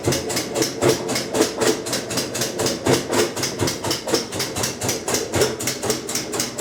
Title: Kenmore 90 Series Washer clicking sound in rinse cycle - Model 110.26902691